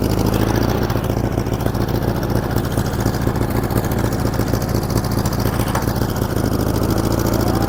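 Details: 1947 Farmall Cub tractor with replacement engine: loud, uneven low chugging at idle with a stumble breaking the beat every few strokes; one cylinder missing because a valve is stuck.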